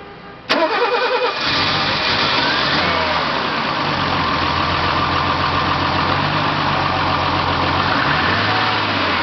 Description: 1980 Mercedes-Benz 280E with M110 engine starting on LPG after valve adjustment.